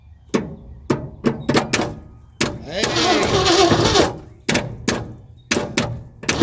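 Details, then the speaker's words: Abandoned one-owner 1972 Ford F350 big-block V8 with 4-speed, first crank attempt: heavy, uneven clunks, then a rough burst that never catches. Abnormal cranking noise; the owner wonders about a connecting rod, unconfirmed. "Well, at least it turns over, but uh sounded like there was a little something wasn't right there. Is it a connecting rod? I don't know."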